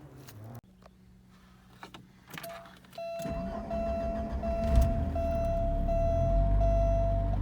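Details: Porsche 944 Turbo with low oil pressure, started after a new OPRV was fitted and number one sensor wire temporarily twisted back on. A dash chime ticks, then it cranks, catches quickly and settles to a steady, even idle; five bar oil pressure afterwards. Normal idle.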